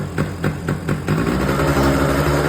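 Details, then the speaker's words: Small engine on a homebuilt Jeep mini quad, first start, choke being adjusted: uneven stumbling idle with a little tick of unknown source; owners suspect it may just need a new spark plug; rough idle. "It doesn't idle as good. [Music] But you hear that little ticking right there? I don't know."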